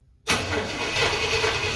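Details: 1968 Pontiac Ventura on its original factory exhaust, which is hanging on by a thread and floods the cab with fumes, before replacement: engine catches hard and runs loud and raspy with a coarse hiss, a worn, leaking exhaust.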